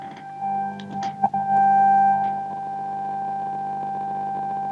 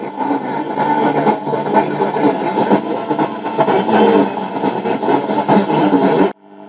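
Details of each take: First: 1950 Telefunken Musical 9650a valve radio after electrolytic capacitor replacement: an IF test tone fed into the antenna comes out of the speaker as a steady clean whistle, showing the IF, detector and audio stages work. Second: 1950 Telefunken Musical 9650a valve radio after electrolytic recap and tone-circuit capacitor change (now 220 nF): alive but very degraded, steady harsh hiss and muddled tone with no clean program, as the UCH41 converter/mixer valve fails.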